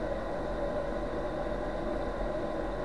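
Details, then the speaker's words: Chinese diesel heater bench test at about 12 V during shutdown: fuel pump off, glow plug on, fan spinning up to blow out hot air; even steady whir over low hum, no rattle or surging, normal cool-down. "the heater fans coming up it's cooling it down and you have to let it do this"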